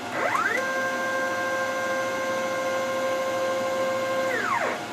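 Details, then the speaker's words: DIY CNC machine Z-axis moving down and up: steady multi-tone whine ramping up, holding about four seconds, then ramping down; the odd noise heard earlier no longer present, smooth axis travel. "it didn't make any sound that time on the way down now let's go up actually i don't really hear it all that much it was doing it before huh"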